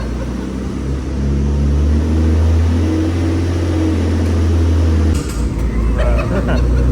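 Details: Very high-mileage Infiniti G35 on first startup after twin turbo install and base map ECU tune: deep, even idle with steady low drone, no stumbling or ticking; some smoke from heat wrap; normal idle.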